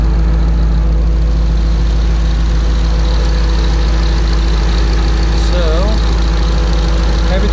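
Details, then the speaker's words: 2012 Ford Shelby GT500 Mustang V8 after installing a used FRPP TVS supercharger and new spark plugs, not yet tuned: loud, steady idle with an even low rumble, no misses or knocks. Normal idle. "And then I figured I'd come back, do the plugs, and check it all again. So far, everything seems decent."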